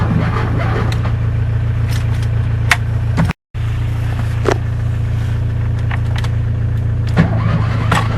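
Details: Fiat 126 cold start attempt, last started on 18 October: slow, steady starter churning for several seconds without the engine catching; cranks but won't start, owner suspects spark plugs or ignition coil.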